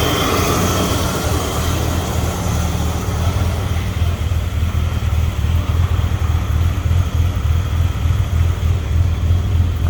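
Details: Ford EB Falcon manual six-cylinder after cleaning throttle body and idle actuator and changing leads, white smoke from carb cleaner: low lumpy idle, uneven pulsing beat, occasional stumbles; still rough, possibly misfiring, cause unclear.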